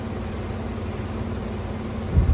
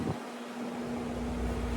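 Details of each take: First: Window AC unit running: a steady low hum with a pulsing buzz and a brief rattling surge, sometimes louder. Fan imbalance vibration. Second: Window AC unit after cleaning and removing a dirt dauber nest from the fan blade: steady even hum with smooth airy fan rush, no vibration, brief water sloshing stopped; normal running.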